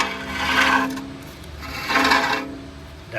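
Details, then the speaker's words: Audi brake rotor with a screwdriver standing in for a rock caught between the rotor and the backing plate: a rough rasping scrape swells and fades once per slow turn. Removing the rock stops the noise. "And let's just say this screwdriver here was a rock and it got caught in between the rotor and the backing plate. Watch the noise."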